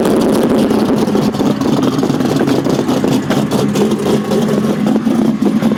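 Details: LS2 stroker V8 at idle: a loud, lumpy, uneven beat with occasional stumbles instead of a smooth rumble, pointing to a misfire.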